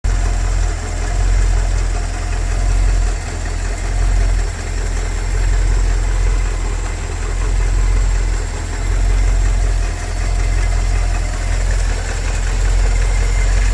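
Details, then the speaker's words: 1984 Porsche 928 V8 idling at first start after 16 years sitting, started on starting fluid after ignition and fuel system cleanup, engine not yet warm; deep idle sagging and lumping about every second, a light misfire. "it cleaned up very well and started right up it's missing a little bit as you'll hear in the videos"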